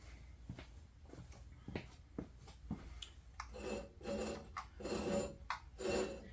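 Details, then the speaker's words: Craftsman LT2000 mower engine, partially disassembled and suspected of a broken rod, rolled over by hand: slow, uneven scraping and rasping; something rubbing near the coil or pulley is suspected, source unconfirmed. "got a grinding noise it's hitting something up here maybe the coil kind of looks like it I kind of hear the pulley down below not really sure what's going on there but need to look at it closer"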